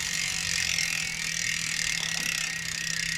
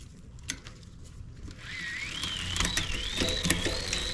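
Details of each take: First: Shimano 11-speed rear derailleur after replacement: continuous gritty rasp as the upper pulley, set too close by the B-screw, rubs the cassette. Derailleur pulley rubbing cassette. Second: Shimano 11-speed bicycle drivetrain after derailleur, hanger and shifter cable replacement and indexing: chain spins through the gears with a light, steady whir, no grinding, occasional soft clicks.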